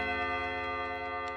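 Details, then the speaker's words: 1979 Trend Clock Co. wall clock, Hermle 351-030 movement, after restoration, hour chime test: clear, evenly spaced gong strikes ring and sustain over a steady tick, so the hammers strike cleanly and the chime works normally. "Okay, sounds good."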